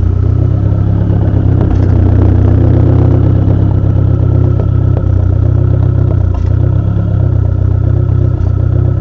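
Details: SRT4 petrol engine with a weird misfire and idle issues: a deep idle that lopes and stumbles unevenly, with occasional dropped beats.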